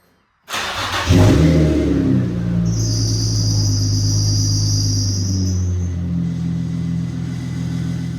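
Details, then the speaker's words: Nissan G35 sedan drift car, VQ35DE reinstalled with new engine mounts and stock exhaust manifolds, cold start after coolant top-off: catches cleanly, quick flare, settles to deep steady even idle; healthy. "It does sound way different than it did before. Instead of like having that higher pitched rev, it's got like a deeper tone to it. So, it sounds good."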